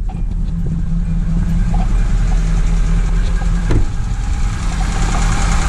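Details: 2009 Hyundai Accent after readjusting timing belt that had jumped a couple of teeth (about ten degrees), causing crank-no-start: low steady even idle, no misses or knocks; runs normally, owner notes slight shake.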